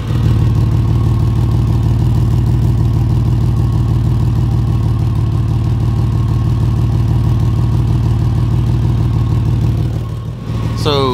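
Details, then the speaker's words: 2004 Ford Ranger, microphone under the car at the leak: loud raw puttering at idle, about three pulses a second, from exhaust escaping just ahead of the flex pipe. "what's going on is exhaust is able to escape right in this area right here and it's kind of causing a puttering kind of blah blah blah blah blah kind of noise"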